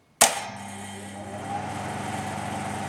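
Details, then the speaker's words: Vintage WX6 loft extractor fan, switched on: sharp metal clang as shutters flap open, then steady fan hum with faint spring ring; normal for this design. "So, this is the WX6. And again, the clanging noise on these is fantastic. Same with the WX12."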